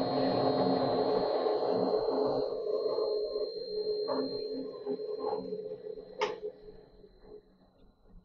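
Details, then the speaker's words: Colchester Student lathe after motor refit, re-sleeved pulley and belts tensioned; steady hum with a low uneven rumble fading as it slows, not the motor: worn clutch bearings, a long-standing problem. "that rumbly you hear there is nothing to do with the motor. It's the bearings on the clutch, and that's been a problem for some time."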